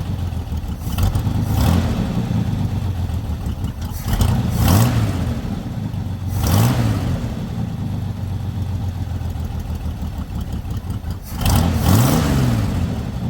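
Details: Lowrider V8 after the dipstick oil leak repair, now no longer leaking from the dipstick: several throttle blips rise and fall cleanly, each dropping straight back to a steady, even idle with no stumble. It reaches idle faster than before. Normal idle.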